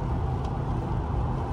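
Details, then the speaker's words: Ford Crown Victoria after swap to Ford 8.8 LSD rear end, at about 60 mph: steady low road rumble, tracking straight, no whine, howl, vibration or rhythmic noise from the rear axle. "here we are at freeway speed she's tracking nice and straight no vibrations no weird noises everything sounds good going about 60 miles an hour here"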